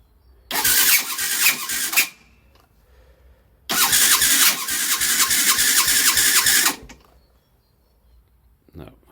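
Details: Skyteam Ace 50 moped (Honda Dream 50 replica) with a brand-new, not yet run-in Zongshen HY50 4-valve twin-cam engine, started cold on the electric starter: two spells of fast starter whirring, about 1.5 and 3 seconds long, turning over but never firing; cause not stated.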